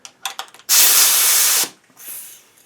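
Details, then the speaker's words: Sharp loud hiss from a leaking worn compressor outlet coupler at 90 psi while hooking up a new air rivet gun; owner swaps to a better outlet. "okay you hear that already I'm thinking that's a wing-wang outlet there let me swap that for a better outlet and let's see if this makes any difference because guys this one here is leaking"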